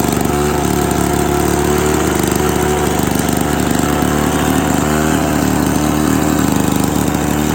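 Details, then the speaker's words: Classic Victa 18 two-stroke lawn mower, first start after purchase, primed, throttle about half, fuel tap leaking: fast buzzy crackle at steady even pace, no misses or knocks; normal running, started on second pull. "that was interesting it started on the second pool very happy with that idea"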